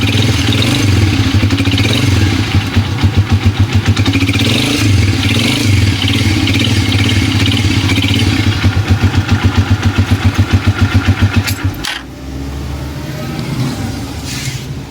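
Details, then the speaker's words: Connecting rod knock on a Motoposh Pinoy125 small single used for water delivery, heard after a tune-up: hard, regular clatter of about three or four knocks a second over the exhaust. Engine to be torn down before other parts are damaged. "So mga idol, meron tayo ditong bibiyakin na makina kasi yung connecting rod niya maingay na. Ito yung tunog ng makina niya."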